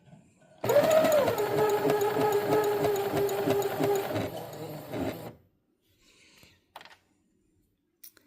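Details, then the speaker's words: Brother CS6000i sewing machine, bought running only half speed, run at half then full speed: spins up briefly, then settles into a low, laboring drone, slower than it should; lint buildup seen, seized bearing suspected. "The person I bought it from said that it will only go half speed. So here it is at half speed."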